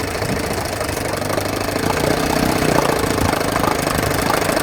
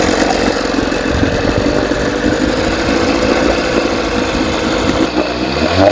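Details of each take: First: 1980 Evinrude 4.5hp two-stroke outboard after carburetor rebuild, new fuel line and filter, fixed pulse tube diaphragm and adjusted float, puttering at a steady idle with an even popping beat, no stumble or die-off, running fine. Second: 1980 Evinrude 4.5 hp two-stroke outboard on a cold start runs ragged, surging then stumbling, and keeps running only with the fuel valve shut. Flooding rich through a broken pulse tube diaphragm; owner first suspected a stuck float needle.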